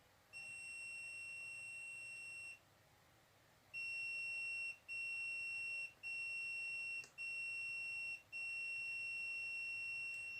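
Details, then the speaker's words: LG 32LJ510D/32LH510D TV with a standby fault: the meter gives a clear continuity tone, held then repeated in one-second bursts, on each capacitor to ground, so the rail is shorted; owner suspects the IC is causing the short. "Oke. Jadi, kapasitornya berbunyi bip. Nanti, apakah IC ini yang menjadi masalah, yang menyebabkan korsleting, teman-teman? Rangkaiannya mengalami korsleting, sehingga bel berbunyi."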